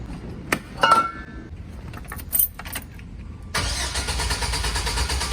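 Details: GMC Savana no-start: keys rattle, then steady even cranking carries on without the engine ever catching or picking up speed; cranks but won't start.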